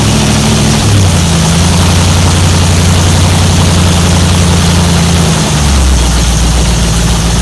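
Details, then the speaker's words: 1955 Chevy 210 Delray 265 V8, first start in a long time: smooth, even high fast run from throttle held open, pitch dropping as the throttle is backed off near the end; sounds healthy. "I I backed it off a little bit because it was revving real high."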